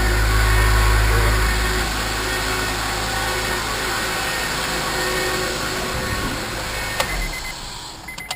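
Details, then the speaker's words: Project car running with airbox and other parts removed and a brand new muffler, no oil or coolant burning seen: even, steady low drone with no knocks or misses, ending in a few clicks; normal engine running. "As you can hear, it's making noises, but it's running pretty good right now."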